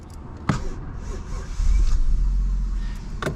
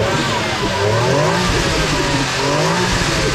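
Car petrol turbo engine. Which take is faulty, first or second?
first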